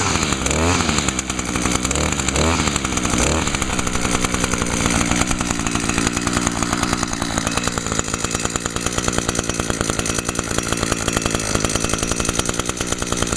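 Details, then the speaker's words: Echo PAS 230 two-stroke after fitting a new carburetor (previously would run then die): sharp buzz climbing cleanly on each throttle blip and settling without bogging, much better throttle response; slight smoke blamed on residual fuel creep into cylinder; normal running and revving. "Oh, yeah. It runs so much better now. Has much better throttle response, too. I'll give it some revs."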